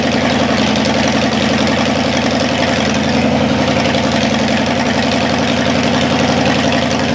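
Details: Cadillac 390 V8 after sitting 8 years, still cold, not yet tinkered with: smooth, even idle, steady beat, no knocks or misses, sitting a touch high. Water pump leaking. Normal cold idle, slightly high.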